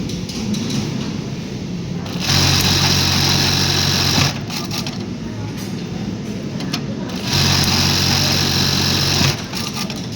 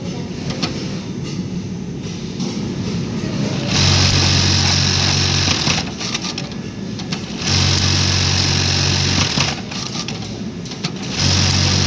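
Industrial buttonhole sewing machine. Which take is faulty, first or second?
first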